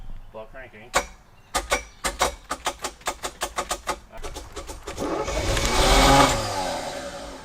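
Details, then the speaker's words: Abandoned, flooded Chevy K5 Blazer: slow even cranking, catches and roars briefly then dies; runs only in crank position, low coil voltage found with key on. "that's what's happening what's happening it's only running on the key is in the Run position or this crank position sorry"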